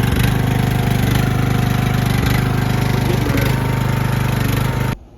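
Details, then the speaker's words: Cheap used riding lawnmower, after a repair bolted back without a gasket, runs much quieter: even single-cylinder thumping about three and a half beats per second until shutoff, though still blowing oil from somewhere. "That is a lot quieter. Still blowing some oil from somewhere."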